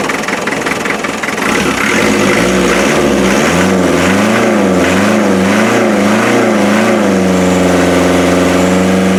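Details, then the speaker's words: 1991 ex-MOD Land Rover Defender 90, 2.5 naturally aspirated diesel, a non-runner now catching: it hunts unevenly with a lumpy beat as one cylinder isn't firing properly. An injector drop test suggested a weak injector; number three cylinder is suspected. "it has to be it has to be something to do with number three cylinder"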